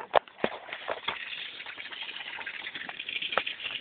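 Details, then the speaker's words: Grizzly ATV shut off after riding hard on a hot day: scattered pops and crackling hiss as coolant boils and shoots out of the overheated cooling system. "no like the [ __ ] coolant shooting everywhere I know just leave it don't touch it"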